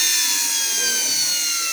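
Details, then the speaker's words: 10-pin universal brush motor tested through a dimmer at nearly 1 A and 37 W, spinning clockwise: a steady, even high-pitched whine with no rubbing or rattle, spinning freely and running clean. "que tenemos un consumo está está girando sentido horario"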